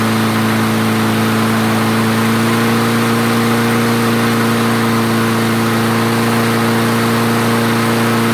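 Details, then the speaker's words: Craftsman self-propelled mower after the clogged jet was cleared; idle governor adjusted back down, having been raised earlier likely because the jet was clogging. Steady high, clean whine at speed, no surging or stumbling; normal running. "okay so i gave it a little uh governor adjustment there on the idle because when i was test cutting with it i upped the idle a little bit probably because that stuff was maybe starting to clog up in the jet"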